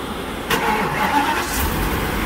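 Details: 2012 Ford E-series V10 after replacing spark plugs and coils for a misfire: short crank, catches cleanly and settles into a smooth, even idle with no stumble or miss; O2 sensors still suspected damaged.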